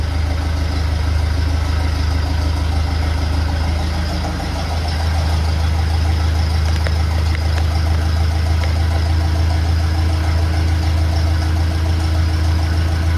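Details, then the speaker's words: 1957 Ferguson FE35 TVO tractor after setting tappet/valve clearances and fixing rocker cover leak: steady even low idle with light regular valve tick, no spitting or misfires; normal idle. "So, I'm happy with that. It sounds sounds good. No spitting or farting or misfiring."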